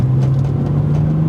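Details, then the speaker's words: BMW 130i driving above 30-35 mph: deep, constant droning hum under cruising road noise, independent of revs, briefly disappears when turning right; worn wheel bearing. "It just seems like it's a constant sort of noise. But yeah, it's when I get over about 30-35 miles an hour, and if I like kind of jerk to the right, like I said, the noise temporarily goes."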